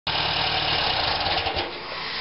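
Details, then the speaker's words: 1973 VW air-cooled flat-four first run: steady, even idle with no knocks or misses and good oil pressure; smoke from heater boxes that had soaked in the cleaning tank, probably burning off diesel fuel, considered normal. "okay I love the oil pressure I'm getting a lot of smoke from these heater boxes but you got to remember they was submerged in my cleaning tank back there they probably got diesel fuel in there so it's pretty normal they would smoke"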